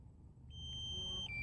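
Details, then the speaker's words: DJI Phantom 3 Standard controller beeping steadily, high tone holding then dropping slightly, as the controller battery runs low during a range-extender flight test at maximum distance 1650 with solid signal and little drone battery left. "es my controller is low if you can hear it beeping in the video"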